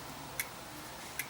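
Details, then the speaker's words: Dell E6230 laptop just powered on, internal hard drive clicking; two sharp isolated clicks about 0.8 seconds apart over a quiet hum, heads knocking, hard drive bad and not working. "yeah that doesn't sound very good so I'm sure it'll complain about it here in a second"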